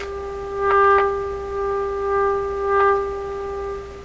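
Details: Canadian Westinghouse Model 636 radio fed a 1000 Hz tone at 30% modulation: steady mid-pitched tone, fairly even with brief swells; audio output now mostly normal.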